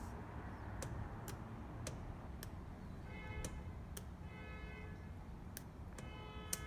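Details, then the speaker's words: 1983 Porsche 944 fairly new fuel pump, removed and bench-rigged: sharp irregular clicks and clunks about every half second, no spinning whine; pump seized/compromised. "i just hear a little cluck clunk click clunk that's what a bad fuel pump sounds like"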